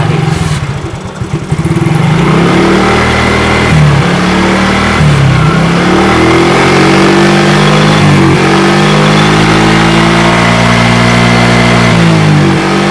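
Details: Fuel-injected automatic motorcycle that wouldn't idle or rev, after spraying carbon cleaner into the intake: engine picks up cleanly on each throttle blip and settles back smoothly, revs rising freely with no hesitation.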